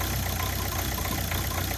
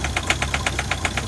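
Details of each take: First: Ford Focus diesel after replacing the original vacuum pump: steady idle with even, light clatter and no pinging or misses; the light pinging heard on acceleration is gone. Normal diesel idle. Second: Ford Focus diesel with its original vacuum pump, at 2 °C with the vacuum pipe off: cold idle with an uneven, lumpy beat of about five clattery pulses a second and weak pump suction; owner suspects a failing vacuum pump, but the rough idle's cause is unconfirmed.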